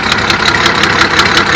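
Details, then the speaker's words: 1974 Datsun 260Z, cold after sitting, triple carbs with choke on only two: sharp rapid puffing ticks, five or six a second, over rough idle from a bad exhaust leak at poorly welded collector. "A bad exhaust leak back there. Oh, yeah. side. I can see some booger welds down on the bottom of that collector."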